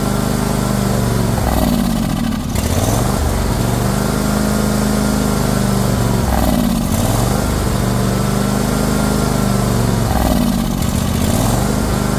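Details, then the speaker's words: John Deere GX255 lawn tractor, run without its air filter, choke held up: revs swell and sag about every four seconds, never settling; dies when choke is removed, likely not getting fuel. "yep it's just not getting any fuel I have to keep throttling the uh this right here over here I got to keep moving the choke all the way up in order to keep it running as soon as I take the choke away it it dies"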